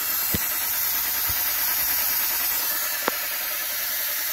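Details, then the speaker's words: 2010 Audi A4 with rough idle and misfire, leak-down test on cylinder one at top dead center, about 5% leakage: steady soft hiss heard at the dipstick tube, a small leak past the piston rings. "there's air coming through there so whatever leakage we do have is coming through there you can hear a little bit through there you know past the Rings"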